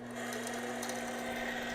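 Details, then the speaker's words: APQS longarm quilting machine hook running in manual mode before WD-40: steady hum with a thin, tinny clatter on top. The hook is lint-clogged and poorly lubricated. "I want you to kind of listen to my hook it's got a really tinny sound to it."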